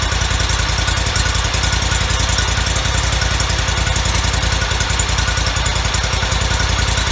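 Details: 2004 Kohler Command CH23 23 hp engine on a Toro Z553 mower, 453 hours, after replacing the PTO-side oil seal, some bolts left loose: a steady thump about 3.5 per second, even, no knock. Runs normally.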